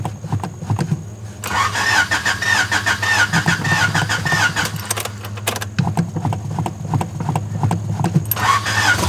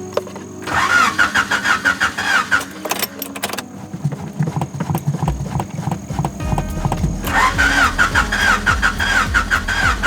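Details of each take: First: 3rd-gen Honda Prelude jump-started from a weak battery, with the engine possibly low on oil: brief cranking, then it catches and settles into a steady, even idle. It starts and runs. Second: 3rd-gen Honda Prelude that has been sitting, in hot weather: starter turns slowly and unevenly, about three strokes a second, and never catches. Battery seems nearly dead; owner also suspects the motor may be out of oil. Slow cranking, no start.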